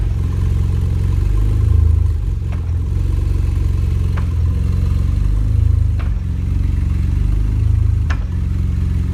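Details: BMW E46 330xi running with a fast irregular clatter over the low rumble and sharp ticks every couple of seconds, suggesting a knock; cause suspected, not confirmed.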